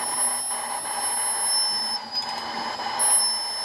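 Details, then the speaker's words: BMW Z3 M54 cylinder leak-down test on cylinder three with the engine stopped: a steady airy hiss as air bleeds out of a cylinder that won't seal, with suspected leakage into the adjacent cylinder. "so I can't even get the cylinder to seal right here you can hear the air pretty sure that's also coming through cylinder two"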